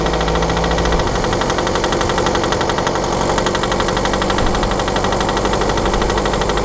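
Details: 2013 BMW F10/F11 520d, N47 diesel, cold and under load at 1500 rpm: a rapid, uneven ticking rattle over the steady engine note. Faulty injector, pinpointed with an ISTA test.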